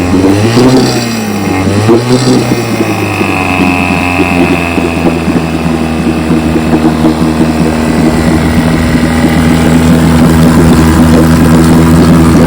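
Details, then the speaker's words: 1957 Johnson 5.5 HP outboard, after conversion from a leaking dual-line pressurized tank to a single-line tank with a pulse-driven fuel pump: a few quick blips settle into a smooth, even two-stroke drone with no misses or knocks. Normal running. "So I've been running her. She runs great."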